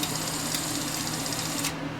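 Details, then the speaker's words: Sony SL-HF400 Betamax during repair: the solenoid is closed and the tape is pushed in, so the loading motor threads it through the power split device. Steady whirring with fine rapid ticking and soft clacks at the end; normal threading. "and it will thread the tape just like that so on these ones it's very simple if you want to make sure that the mechanism is working that's all you got to do"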